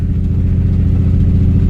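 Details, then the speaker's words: 2008 Nissan 350Z: deep, steady idle that is slightly lumpy, with no skips; the owner says it is still idling somewhat rough from long poor running but no longer misfiring. "I'm gonna let this kind of run and see how it turns out but I mean it's revving by itself I can tell I can just tell that it's not misfiring anymore"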